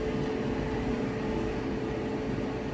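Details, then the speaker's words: Whirlpool electric dryer, like-new, running a heat test: steady, even rumble with a low constant hum and no knocks, scrapes or squeals, runs smooth; normal running. "it sounds great run smooth"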